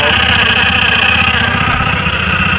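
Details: TVS Ntorq BS6 Race Edition scooter idling: irregular light metallic clicks and rattles over an even idle, from a loose kick-start assembly; temporary fix applied.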